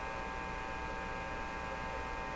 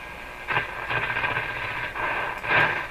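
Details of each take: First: Marconi Model 295 AM/shortwave tube receiver, volume full: only steady mains hum and faint buzz while tubes are wiggled, no station or audio; band selector was probably on phono, not a fault. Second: Marconi Model 295 receiver switched from phono to what is likely the AM band, volume turned down: hissy station audio swells and fades over steady background hiss; set receives stations and works.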